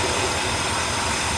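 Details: 2004 Dodge Dakota 4.7L V8 with random left-bank misfires, idling on a lift with one bank's injectors and coils disconnected: steady, fairly even idle with a slightly hollow, uneven pulse underneath; firing on one bank only. Coils tested good; cause undetermined.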